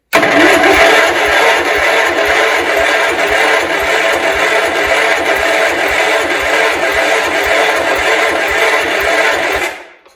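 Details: 1971 John Deere 140 H1 tractor, long parked: steady starter cranking at about two beats per second for ten seconds without ever firing. Cranks but won't start; owner suspects the plug loses spark under compression, and an exhaust valve was later seen open.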